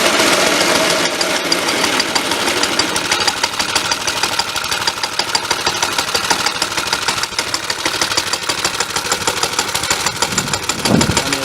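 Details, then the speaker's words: Warm Suffolk Punch 30 mower engine, after cleaning the air filter and adjusting the carburetor, idles with a quick, even, quiet beat through a good muffler under loud gusting wind. There are no misses or hunting, so it is a normal idle. "There we go. Running pretty decently. It's quite quiet. The muffler's obviously quite good."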